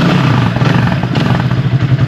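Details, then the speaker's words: Italika CR4 (Loncin) motorcycle with diaphragm carburettor after mixture adjustment: small single putters at an even, steady idle without stumbling; correctly set mixture, a bad one would sound like it's choking. "suena parejo no suena dispareja cuando ella está mal calibrada gente ella va a sonar como como que quiera ahogarse"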